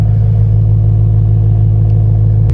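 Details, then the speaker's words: BMW E90 M3 S65 V8 with muffler delete, just fitted with new quad tips: deep loud steady idle burble, smooth, with no more rattle from the old carbon tips. "Looks clean with all black, no more rattle."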